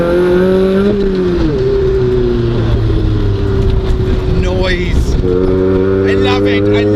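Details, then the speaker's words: Rusty Toyota Levin at about 3,000 rpm on light throttle on country lanes: loud booming exhaust drone rising and falling with throttle. "You sort of semi-forget how loud it is. You go, oh, it's quite loud."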